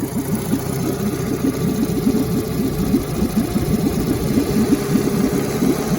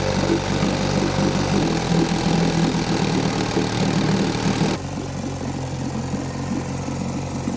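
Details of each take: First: 1952 Johnson Seahorse 5 hp two-stroke outboard after setting coil gap to about three thousandths of an inch for stronger spark: even fast burble with steady firing, no misses; running much better. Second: 1952 Johnson Seahorse 5 hp two-stroke outboard, not run ~40 years, after an hour of idling: steady fast buzz that won't settle to a low idle; later traced to carburetor gasket air leak and weak spark.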